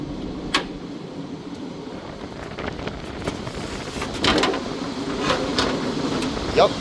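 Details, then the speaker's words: Restaurant kitchen exhaust fan beside a failing freezer: a thin, high chirping squeak repeating steadily over the fan's whoosh; the drive belt is loose and slipping, so the fan moves less heat. "This thing right here, I can hear that this thing has a loose belt. This is their exhaust fan. Let's Let's have a look at that real quick. I can tell cuz I can hear it squeaking."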